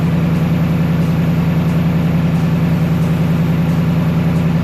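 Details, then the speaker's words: 2024 Mustang GT PP V8 just after installing a K&N cold air intake: deep, even idle burble with a steady pulse of about three beats a second, no knocks or misses; normal idle. "Definitely hear them. I think what it does really is it just cleans up the airflow to a more smoother route."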